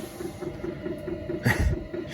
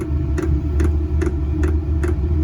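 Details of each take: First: Newly installed diesel air heater in an MCI bus RV conversion, heard from inside: soft evenly spaced ticks about four or five a second under low burner rumble, warm air coming out. Normal running. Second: Newly installed diesel air heater in an MCI bus RV conversion, first start-up: sharp regular ticks about two to three per second over a low hum as the fuel pump primes; bubbles still in the fuel line. Fuel pump ticking.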